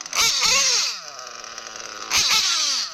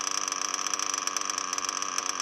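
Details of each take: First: O.S. Speed B21 Adam Drake nitro engine in RC truggy, J21 carb, fresh ceramic bearings, first run, fuel-line pinch test: revs climb too fast in sharp bursts within two seconds; lean low-end mixture, to be richened. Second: O.S. Speed B21 Adam Drake nitro engine in RC truggy, new J&T ceramic bearings, 6.5 mm venturi, J21 carb; fast even buzzing idle with steady high pitch, no stumbling, after idle screw turned up from too low.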